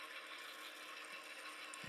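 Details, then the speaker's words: HO model train locomotive run on the track with its shell off: fast, light ratcheting clicks over a thin gear whir, tracking motor speed, from a faulty drive shaft coupling. "You hear the clicking sound because there's something wrong with the shaft coupling right there. Apparently, I found the problem."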